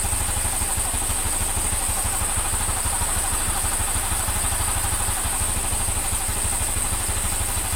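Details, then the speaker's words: Honda Scoopy (Genio engine) after replacing the crankshaft bearing, connecting rod and valve seals and redoing the valve lapping: a quick, even single-cylinder tick-over with no knocking or rattle. Normal idle. "Sekupi boys sampun ready masih. Kalau trek lurus, suara halus, suara halus."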